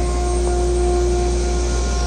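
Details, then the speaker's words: Zenbot 4896 CNC spindle on VFD spooling up toward 24,000 rpm in new shop setup: clean steady high whine with low hum beneath, settling near full speed; running smoothly and much quieter than before. "so this setup is actually extraordinarily quiet much quieter than the last one you know in the last setup I wouldn't have been able to talk to you while everything was running so you can hear the spindle spooling up sounds like it's just about there"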